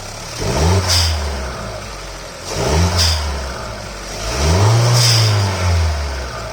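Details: 1.5 TSI engine with newly installed Forge FMDV22 blow-off valve; three quick throttle blips, each followed by a sharp airy hiss as revs drop, blow-off valve venting normally.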